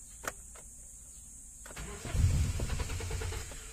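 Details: 2017 Hyundai Accent manual, just back with ECU reworked over an ignition-coil problem, fuel pump possibly replaced; starter whirs slowly and unevenly, engine briefly catches then sputters and dies; cranks but won't keep running.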